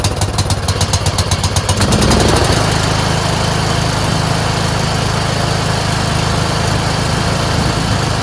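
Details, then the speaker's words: Craftsman 30" rear-engine rider mower, single-cylinder, right after replacing a clogged fuel filter (old fuel clear, no water): catches after a rough start, then runs steady and even with no stumbling or surging. Carburetor was not the fault. "See what I mean? It's not the carburetor at all. It's just a clogged fuel filter."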